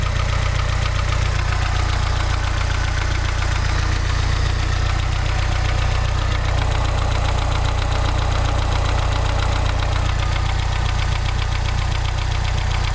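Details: Mazda 626 GD running engine with a steady, hard knock about three times a second at an even beat; the cause of the knock is not yet identified.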